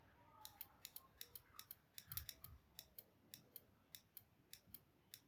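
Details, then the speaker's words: Car relay bench-tested by applying 12 V across coil terminals 85 and 86: sharp crisp clicks three or four a second as the coil pulls in properly; bidirectional relay clicks either polarity, working normally. "Friends देख सकते हैं इसे क्लिकिंग की आवाज़ आ रही है। मैं इसमें टर्मिनल चेंज करूँगा फिर भी इसमें क्लिकिंग की आवाज़ आएगी।"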